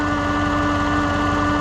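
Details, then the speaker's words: 2015 Chevrolet Suburban with battery not charging, at idle: steady high-pitched whine holds constant over the engine hum; failing alternator running very hot, about 300 °F on its casing. "This video is a sound test of the alternator. You can hear it, it sounds kind of like it's whining."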